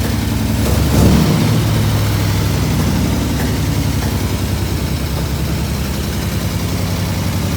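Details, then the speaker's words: 1967 IH Loadstar 1600 truck idling after it came off high idle; loud, deep, steady idle with a faint quick tick on top of the engine beat, an exhaust leak. "We have some cleanup to do. We have exhaust leak. You guys can hear the tipping."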